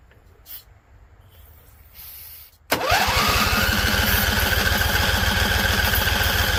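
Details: Husqvarna Z254 mower engine, after a PTO clutch install. It cranks, catches on carb spray and chugs unevenly, threatening to die, and won't sustain itself on its own fuel. Owner suspects flooding or a tank not venting; unconfirmed.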